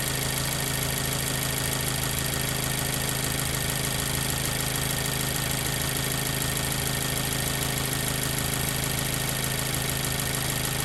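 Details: 2014 Mazda 3 2.0L after fixing a P0302 cylinder 2 misfire by replacing all spark plugs; the bad plug had double resistance. An even, steady idle with no stumbles, and the scan data is now equalized.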